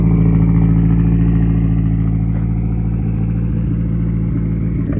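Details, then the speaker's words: Nissan Laurel C33 SR20 four-cylinder, cold start: idling high with a faint uneven beat, about three pulses a second, and a hiss; rough idle, suspected vacuum leak or misfire, not confirmed. "Yeah, you guys can tell there's a little vacuum leak, misfire, something. It's idle and high, and you can hear it hissing right there."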